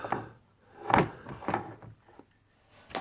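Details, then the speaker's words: Smeg DI612CA9 integrated dishwasher with E1 Aquastop fault, small amount of water in base: soft separate clicks as the float is moved up and down, the anti-flood Aquastop switch operating. "so that click in there move the polum floor up and down and you can hear the a stop switch clicking"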